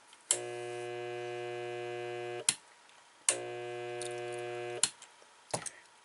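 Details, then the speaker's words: Dishwasher motor hums steadily for about two seconds, cuts off with a click, then repeats, stalling without turning; the motor has a problem, and the first check is under the chopper blade cover. "so that humming sound is uh some type of problem with the motor here so there's a couple things we'll look at see what's wrong"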